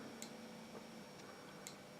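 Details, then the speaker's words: Repaired 1960s–70s Soviet DP-5A Geiger counter with the sample moved further away: sparse sharp clicks, about one per second, in a quiet room as the dial reading drops; a normal slow count. "i can i can i can put this a bit further away and you'll see it decrease on the dial there"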